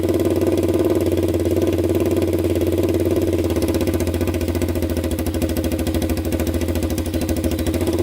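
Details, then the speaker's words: 1999 Honda 400EX quad after rebuild (new piston, valve seals, cleaned valves) that previously smoked, restarted: steady single-cylinder idle around 160 beats a minute, no misses, zero exhaust smoke; smoking believed fixed, normal idle. "i don't see any smoke all right guys absolutely zero smoke coming out of that pipe so i'm pretty sure we fixed it so that feels pretty good"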